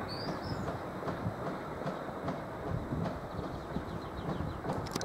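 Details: Locomotive 185 200 with EZ freight wagons rolling past: dull, uneven thuds about once a second over the rumble; many wheel flat spots.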